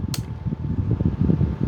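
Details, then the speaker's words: Charity-shop electric fan, hardly used, run up to speed 3 with the louver turning: soft, even low whir with a faint rhythmic flutter; runs smoothly, in good working condition. "It looks like it's hardly ever been used. 2, it's quite powerful. 3, fantastic, nearly good enough for a hovercraft."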